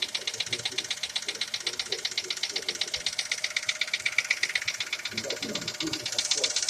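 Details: Skoda Fabia engine knock, cause being sought: sharp, even ticking about four per second over a quiet idle.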